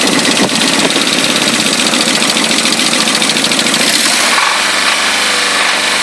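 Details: Nissan 200SX SR20DET at idle: sharp regular knock over busy idle easing as revs drop; knock disappears when cylinder one plug is pulled, owner guesses bottom end/rod knock, unconfirmed.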